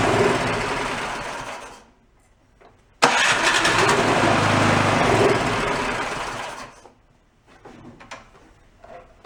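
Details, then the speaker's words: Yard-sale two-stage snowblower started on choke with a squirt of fuel; catches, runs a few uneven seconds, fades and dies, then stumbles. Rough running from dirty carburetor; white speck of debris later found in the jet. "yep we said that carburetors nice and clean it has issues"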